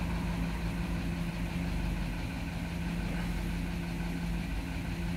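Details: Vehicle that came in with a severe misfire (flashing check engine light, traction lights on), idling after coil replacement while codes are cleared: smooth, steady low idle hum, even beat, no stumble or shake; healthy.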